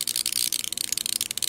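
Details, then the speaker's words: Neon sign transformer high voltage being raised: sharp, dry, irregular crackling sizzle as it arcs across the switch contact at about 2800 volts. "oh right there right across the switch contact this is like it about 2800 volt"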